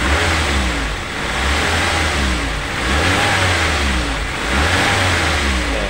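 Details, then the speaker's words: Daihatsu Gran Max petrol van after repair of rough knocking, misfiring, power loss when revved: engine revs up and down smoothly, no knock or misfire. "halus ya teman-teman untuk suaranya sudah tidak ada ngelatak seperti kemarin seperti itu"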